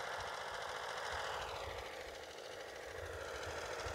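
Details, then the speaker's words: HR 194 machine, small single-cylinder engine test run after reassembly: no vibration, but a slow, slightly uneven low thump at idle under a steady hiss. The idle is a little low and the throttle should be raised slightly. "foi il est pas mal le [Applaudissements] ralenti je crois que ça demanderait quand même un petit peu à augmenter un peu l'accélérateur"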